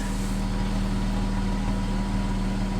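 A smooth, even low idle rumble with a steady hum and no knocks or misses; the engine and exhaust sound healthy.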